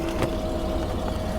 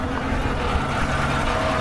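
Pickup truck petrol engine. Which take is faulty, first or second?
second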